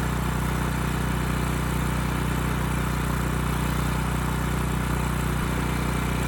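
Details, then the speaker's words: Ridgid generator with Yamaha MZ360 engine, about 10 years old, unused 4 years, carburetor adjusted after loose screw and suspected vacuum leak: steady governed-speed drone without hunting or surging; speed and power output good; normal running. "Otherwise, you know, engine sounds good, speed's good, power output's good, so we're in pretty good shape."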